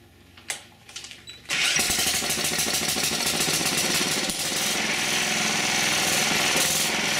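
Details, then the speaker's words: Old-school Proto-Power PP15 generator with a Clinton engine, rescued from scrap; after a few pulls it catches and settles into a steady, even, high-pitched run without stumbling, engine healthy. "okay i got enough of it together generator-wise to fire it up and see if the generator works"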